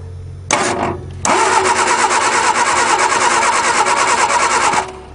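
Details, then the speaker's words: 1961 Ford Anglia cold start after sitting about 10 years, engine not seized, jumper wire to the solenoid: steady quick cranking about three turns a second, never fires, possibly flooded; no spark found, points to be sanded. "keep going it might be flooded we can oh nothing no ignition so let's check if it has spark we just determined has no spark"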